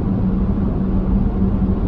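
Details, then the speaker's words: Vehicle with LFD Off Road crossbars at the front of the roof rails, at 60 mph: a steady low hum over the road roar, more pronounced on this road. Crossbar wind hum. "but I'm at 60 and as you can hear it's a little more pronounced on this road for sure"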